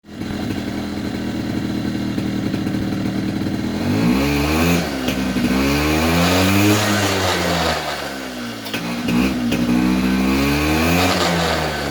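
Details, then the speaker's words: 2004 Polaris Predator 50 two-stroke mini quad with new carburetor and corrected float height: steady crisp idle, then repeated clean throttle blips from dead idle, picking up rpm without hesitation or flooding; normal idle and throttle response. "notice how it was responding to throttle you know even from dead idle when you floor it it would pick up momentum you know pick up rpm without hesitation without sounding flooded or anything"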